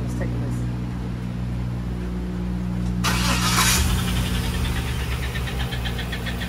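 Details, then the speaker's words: Truck at 177,606 miles, transmission binding in overdrive: running at idle with all belts removed, a quick, sharp chirp about four a second like a baby chick; source unconfirmed. "Now with this bad boy, it's making a chirpy noise."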